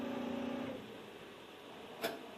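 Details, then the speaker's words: GE GTD42EASJ2WW dryer started with the door closed: a steady motor hum for under a second, then it fades with no drum tumbling or load; the motor spins free on a broken drive belt, and the motor itself is fine. "When you close the door and start a function, you hit the button. Yep, you can hear that it's just spinning in there."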